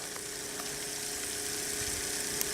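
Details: Repaired RV drinking water pump (was leaking; cleaned and reassembled) moving nearly 5 gallons into a jug: steady high buzzing hum, constant tone, no surging or rattling; runs smoothly under load.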